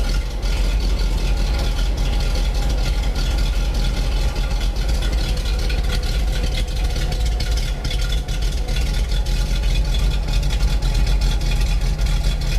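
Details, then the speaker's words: 1987 GMC 7000 with a 366 V8 idling after a replacement belt was fitted. A deep, steady, even rumble with no squeal or chirp from the front; the belt runs quiet and the engine is smooth: normal idle. "Sounds like a tractor. Belt's looking good. Smooth and quiet. Engine actually runs pretty quiet."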